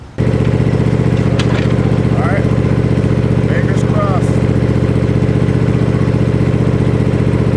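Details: Gravely Pro Turn 52 mower with blades not engaging, started on a little choke after fitting a new plug: engine settles into steady even beat with low throbbing rumble, no misses or knocks.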